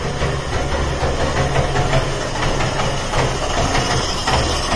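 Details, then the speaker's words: Trabant 601 two-stroke, cold, just fitted replacement carburetor, fuel on reserve: rough buzzy pops settle into a steady low idle on choke, starting first try; running nicely, needs corrections. "it's running nicely ah it needs just Corrections so turn off the ignition and just make a few changes and everything"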